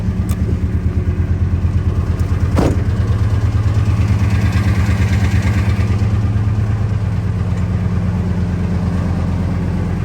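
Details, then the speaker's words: 1999 Ford F250 V10 at idle with one spark plug still leaking, after a JB Weld repair: a fast, even tick over the firing pulses that comes and goes; spark plug blow-by. "all right let's see what this thing sounds like with just one plug leaking instead of two or three stay there"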